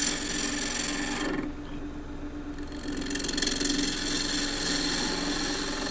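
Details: Wood lathe, green timber roughed with a Continental roughing gouge, bevel riding then handle raised until a shaving lifts: steady spinning hum, rasping hiss changes note as cutting starts; normal roughing cut.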